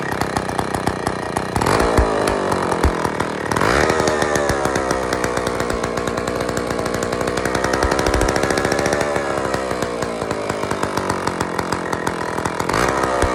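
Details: IEL Pioneer HM chainsaw, old two-stroke, first run after fuel-system priming: rasping buzz rising and falling with the throttle, a bit uneven but holding speed; carburettor still needs fine adjusting.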